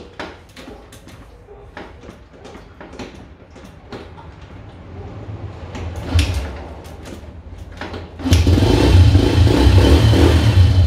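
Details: Honda Dream motorcycle that would not start: several seconds of clicks and failed attempts, then the engine catches and runs after carburetor air and mixture adjustment and spark plug cleaning; hard starting from carburetor misadjustment and fouled spark plug.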